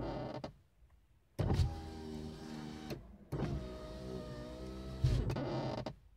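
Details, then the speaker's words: VAZ 2115 power window: motor whirs normally, then a harsh groan and clunk as the glass reaches the top; fixed by tightening the screw under the door opening handle. "стеклоподъемник работает все нормально но когда он доходит верху спать и услышимся услышали это звук еще раз"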